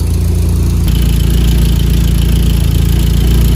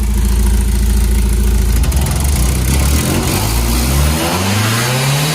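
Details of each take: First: Mazda Miata bought for $900, just started; smoking from added oil, likely no coolant, oil pressure 30. Low, heavy idle pulsing about 3.5 beats a second with uneven lope; owner suspects vacuum lines or a bad EGR, unconfirmed. Rough idle. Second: Mazda Miata 1.6, new spark plugs, ignition coils, fuel filter and upgraded fuel pump, fresh 5W-30; catches right away, even idle, clean rising and falling revs, some smoke, probably from the added oil. Normal running after start.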